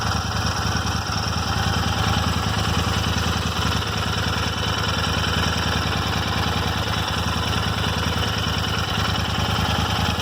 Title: Royal Enfield Interceptor 650 :: Random ticking noise in engine